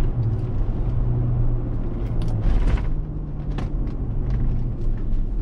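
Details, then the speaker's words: Tahoe after front differential rebuild; coasting off the gas, a steady low whir under road rumble that changes with speed, exactly as loud as before the rebuild, so the diff was not the source; cause unknown. "kind of whirring changes with speed noise that was doing before it's absolutely no quieter and absolutely not louder it's literally exactly the same"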